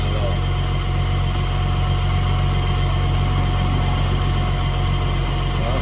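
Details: Mk3 Jetta VR6 with fresh engine, rebuilt Vortech V9 supercharger, about 5-8 psi boost, chip tune, idling: steady, even low rumble, smooth, no knocks or misses; sounds healthy, nothing like before the motor grenaded.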